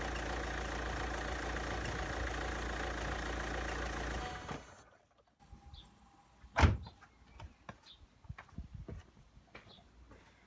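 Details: 2003 Renault Clio 1.5 dCi 65 hp diesel after fuel filter replacement and priming: even clatter holds steady about four seconds then stops, followed by door clunks; runs smoothly without stumbling; normal idle.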